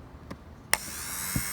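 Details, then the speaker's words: Mercedes-Benz PZEV fuel pump hot-wired to a battery: does not run until tapped, then a thin, steady high whine; pump failing and needs replacing. "running all right so it's safe to say that this pump is shot"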